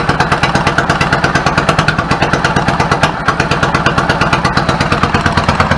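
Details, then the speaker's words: 1999 Yamaha V-Star 650 Classic V-twin, twin carbs, 16K miles, after cleaning clogged pilot jets, choked start: even lumpy thumping about three beats a second on fast idle, both cylinders firing; idle settles, running healthy. "the idle adjust smells a lot sounds good settles back of it I'm fine with it"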